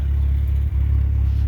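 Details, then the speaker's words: 1988 Shelby CSX-T at idle with AC off: deep, smooth, quiet exhaust rumble with even pulses and no rattle, blow or tick; decent muffler, engine quiet and solid, normal exhaust note. "It's a decent sounding muffler on the car, and it's quiet. It performs well. Here the engine sounds quiet and solid."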